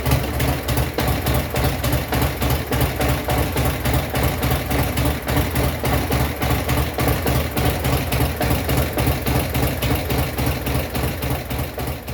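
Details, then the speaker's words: 2002 Buell S3T V-twin after repairing the ground strap by the rear brake light switch that caused a starter click: steady, even idle lope, deep thump, regular firing, no knocks or rattles; healthy. "There's the ground strap all along. All right, this is how it's supposed to sound."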